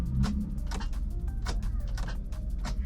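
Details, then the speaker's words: Car at an auction yard: repeated short clunks about every half second, with the starter engaging but the engine not turning over; a bad battery is suspected. "it sounds like the starter's engaging but it's just not turning very strange I think it's a bad battery"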